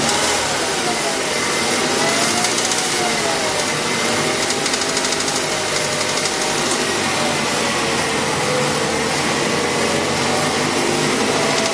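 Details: Mazda 6 engine running steadily with a faint, fast light tapping over the hum; a knock of unclear cause that the owner is asking help to identify.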